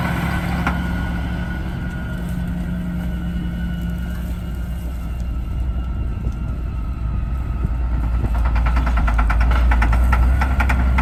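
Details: Challenger MT675D tractor pulling a DMI 10-shank inline ripper at the start of the 2019 season: the big diesel labours with a rough, uneven knock over the steady drone, getting harsher toward the end, from bad injectors.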